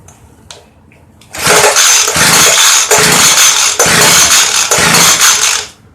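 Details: Craftsman 358.795792 Bushwacker 25cc hedge trimmer, sprayed with carb cleaner: it fires, surges raggedly for about four seconds, then dies. Fuel starvation, likely from a broken fuel pickup line; the foam air filter is also crumbling.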